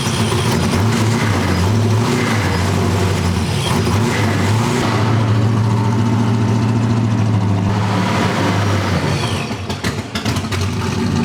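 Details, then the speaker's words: Supercharged small-block V8 (TorqStorm blower, Holley parts) restarted for setting ignition timing after first start, new wrapped headers: loud, steady deep rumble with a couple of blips, firing evenly with no miss or tapping; runs well. "That thing is pretty loud. Sounds good though."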